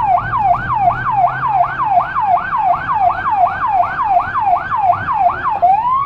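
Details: Federal Signal Rumbler siren on a small emergency car in Budapest, dashcam audio from inside: a fast rising-and-falling wail about eighty sweeps a minute over a pulsing 180–360 Hz low throb; siren and Rumbler working normally.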